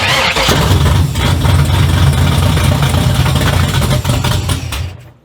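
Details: 1972 Oldsmobile Cutlass, LS-swapped 6.0 with FiTech EFI, cold start, fuel pump heard engaging: short crank, catches at once and settles into steady, even V8 idle without stumbling; clean, healthy cold start.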